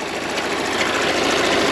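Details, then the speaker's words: Peugeot Partner 1.6 HDi 4x4 (Dangel) after EGR valve replacement, idling: a harsh, dense metallic rattle heard outside, not inside the cabin. The vacuum pump in the oil pan is suspected; it was not replaced. "jest takie jazgot a nie tutaj vakupompa jest bodajże w misce olejowej i ona chyba jakieś dziwne dźwięki wydaje"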